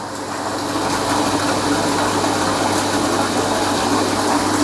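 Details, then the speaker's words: Shimizu SPG20-311K BIT submersible pump protected by an APC as the well water runs out: steady motor hum turns rough with gurgling, sputtering rush; pump running dry. "Terdengar bunyinya agak kasar ya. Itu artinya, nah lihat. Ini pompa kekeringan sekarang."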